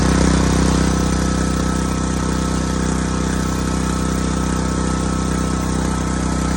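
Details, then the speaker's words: New Sportsman 4000 dual fuel gas/propane generator run with no load to circulate oil, gauge showing 120 volts; loud steady low drone at constant speed without hunting or knocking, normal no-load running. "that was loud was it quite a bit no nothing uh I didn't put no load on it but I just let it run to circulate the oil through it"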